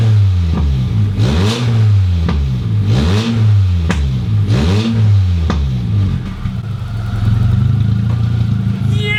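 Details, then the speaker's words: Toyota MR2 Mk1 first start in 12 years with no exhaust fitted and a coolant leak still pending: repeated sharp throttle blips with a raw, very loud bark. Loud exhaust noise because no exhaust is fitted. "I don't sound too bad with no exhaust on it does it kind of if you like it obnoxiously loud Happy Days"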